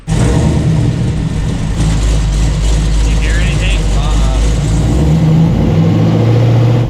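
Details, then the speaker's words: Supercharged rat rod tow truck, owner suspecting a bearing noise in the 203 doubler box: at idle a loud, deep rumble with rough chuffing rasp on each firing pulse; exhaust leak near the header collector. "all you can hear is the exhaust Leake anything all we can hear is the exhaust leak"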